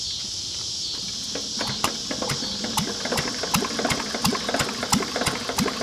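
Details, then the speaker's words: Lister throttle-fed single-flywheel engine from about 1920–1930, with carburetor, magneto and governor, idle set very low. A sharp regular knock about 1.5 a second rides over hiss. Worn rod bearing knock; the block is also cracked with water getting into the oil. "it you can hear the rod there a it but [Music] [Music] d now good all right guys well that's the end of today's uh Moto Monday that was our liser I mean besides the rod knock and in need a paint it actually is a good running motor"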